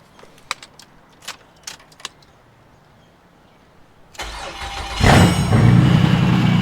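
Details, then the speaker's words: Car after the bell housing, flywheel and starter were refitted, running with no exhaust; a few clicks, brief cranking, then it catches and settles into a loud, steady, unmuffled idle; starts and sounds healthy. "And she starts. It's currently got no exhaust right now. But she's running and she sounds pretty good."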